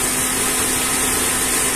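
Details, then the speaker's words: Dodge Attitude / Mitsubishi Mirage radiator fan switches on at about 96–97 °C coolant and off at 91 °C: an even, steady fan rush with a low hum and no rubbing. Normal fan operation. "aprendido el ventilador ahora vamos a esperar hasta que baje 95 94 93 92 91 a los 91 se apaga siempre"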